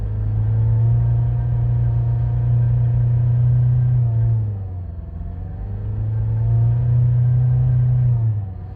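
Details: Mazda 6 after piston replacement, now hard to start: engine hangs at a high steady drone, then revs sag and climb back instead of settling to normal idle; won't idle, high revs.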